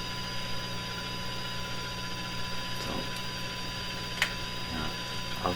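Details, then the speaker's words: Eveready Model 32 tube radio fed a 1 kHz tone from a signal generator: a steady whistle over low mains hum. The detector passes audio, but the set sounds way out of tune and alignment (suspected). Audio isn't reaching the big speaker; an output transformer fault is suspected. "So now we're hearing what is coming out of these tubes. So this is a good thing. This part of the radio is functioning to some degree. Sounds like it's way out of tune, way out of alignment to me."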